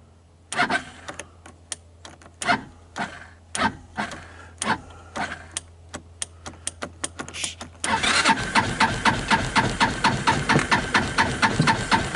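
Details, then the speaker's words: 2014 Linhai Big Horn 400 UTV that died on its first outing, cranking on a cold evening after a dose of starting fluid: the starter churns in uneven bursts, then spins evenly with compression but no firing; crank, no start; owner suspects the spark is jumping elsewhere. "well that isn't good um I gave it a who to starting fluid it didn't even try to start you can hear it sounds like it's got compression I'm thinking the spark jumped over the side"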